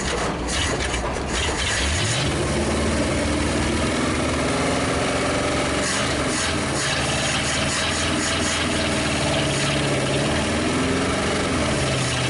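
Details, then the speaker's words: 1956 Studebaker Golden Hawk V8 restarted after long storage: catches and settles into a slightly uneven but steady idle, all cylinders, no knocks. Owner says it's getting better and not hot; the smoke is stuff put on the manifolds. "Well, it's getting better. No, it's not hot."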